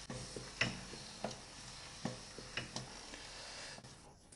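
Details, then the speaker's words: Used Mercedes-Benz OM441 engine from Europe on the stand, crankshaft turned slowly by hand in a quiet room: light sharp clicks of play at each top and bottom dead centre, pointing to worn connecting rod bushings and bearing play. "You can only hear some play at the top dead centers, some play in the bearings, and maybe somewhere else. You can hear this replay when it goes past the top dead center and the bottom dead center."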